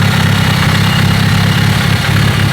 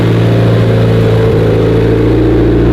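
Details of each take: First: Built car after swapping old loud, clanky lifters for GSC zero-tick lifters: loud, smooth, even idle with a deep steady rumble and no clatter or tick from the top end; much quieter, normal idle. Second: 2016 Subaru STI, fully built 1017 whp, bigger turbo, first start: loud rough uneven idle with open raspy exhaust drone; both wastegates stuck open though they should be closed (springs missing), gate plumbing under question.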